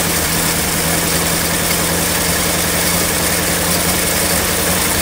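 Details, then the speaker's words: 1959 Mercury Monterey V8, asleep for a decade, firing up after sitting a long while: steady, slightly rough idle with a raspy, hissy edge from a remaining exhaust leak; no smoke, otherwise running well. "after sitting for quite a while it fires right up I'm pretty happy runs pretty decent the exhaust leak is still there"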